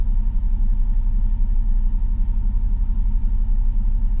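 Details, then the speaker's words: 19-year-old 2000 Chevrolet Silverado just after a starter replacement, battery disconnected overnight: a low, uneven idle that wavers as if about to stall; owner suspects the ECU lost its idle learn and plans to reset it. "still sounds like it wants to stall"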